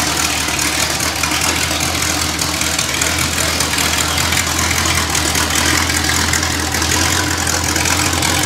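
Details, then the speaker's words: Rebuilt, broken-in small block Chevy V8 for a 1974 Corvette running on an engine test stand in a loud, resonant shop; steady, even idle with no ticks, knocks or misses. Healthy engine. "foreign hopefully you get a concept through the microphone of what it really sounds like because it's quite loud in the shop and it resonates pretty good so once again this is a small block Chev"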